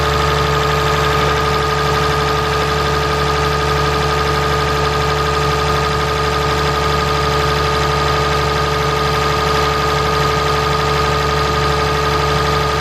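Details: 2017 Ram 3500 pickup, 6.7 Cummins diesel, idling after water pump replacement and coolant refill: steady, even idle with a constant hum and no knocks, misses or squeals; engine runs smooth and healthy.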